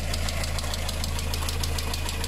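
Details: VW engine with timing chain, idling: a sharp, light tick about seven times a second over a steady low idle drone. Sounds like lifter tick, cause not confirmed; the head gasket is blown with oil and water mixing, a known failure around 100,000–130,000 km.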